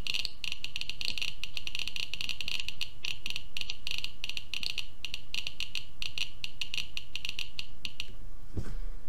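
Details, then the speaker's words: Rapid irregular clicks, roughly fifteen a second, stopping near the end, from a Geiger-Müller counter board with Arduino Uno, radioactive source near the tube; almost 900 counts per minute over a 15-second period. "there you go so we got almost 900 counts per minute for this 15 minutes now 15 seconds period"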